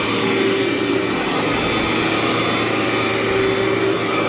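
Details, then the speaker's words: Cleartrak/Workhorse vacuum power brush on floor setting after brush and belt replacement: steady even roar, constant motor hum and brush whir, no grinding or slipping, digs in like a new machine. "like a new machine just digs right in there"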